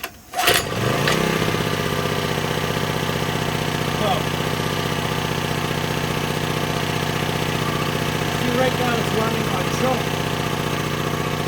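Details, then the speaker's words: Cheap secondhand small generator after carburetor cleaning and rebuild, started on choke. It catches after a brief crank and settles into a steady, even drone with no misses or surging; normal running. "going to let it do that for a little while I mean how can you not be happy of a $1 generator"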